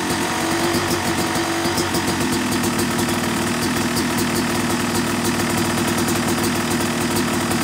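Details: Yamaha YZ250 two-stroke motocross bike (270cc/250cc), break-in after full engine rebuild (bottom end, transmission, bearings, clutch, power valve); crisp steady idle with light throttle blips, even firing, no knocks or rattles; normal, healthy.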